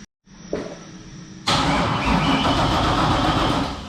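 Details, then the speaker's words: Nissan 240 drift car with LS swap, more battery voltage now: starter spins the engine quickly and evenly but it never catches or fires; crank no-start with no spark, owner suspects a faulty wiring harness. "It's just cranking a lot faster because we got more voltage now. Things are tight. But she's still not happy."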